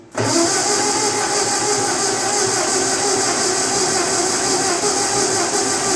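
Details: 1948 Ford 8N tractor in grim condition after months sitting, no muffler, in neutral at half throttle: it catches almost at once into a loud, raspy, unmuffled steady run. It was possibly flooded by a sticking carburetor needle valve.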